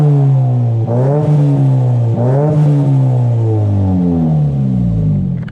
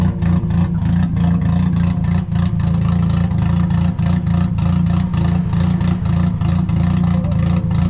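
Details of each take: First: Nissan S15 Silvia SR20DET turbo with a new JJR stainless dump pipe and de-cat, light blips recorded from outside; deep, even note with the farty drone gone and tone transformed; normal exhaust tone. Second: Nissan S15 running very rich, needing a tune, with new dump pipe: deep, uneven, loping idle with irregular pulses and a clattery edge, rotary-like. Rough lumpy idle from the rich mixture.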